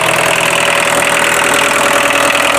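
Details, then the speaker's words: 1984 VW Rabbit Diesel, 5-speed, in pristine condition, idling just after starting: a steady, even clattery diesel rumble with no irregular knocks or misses; called whisper quiet, hardly sounds like a diesel; a normal idle. "you can hardly tell it's a diesel It's So whisper quiet I like it though"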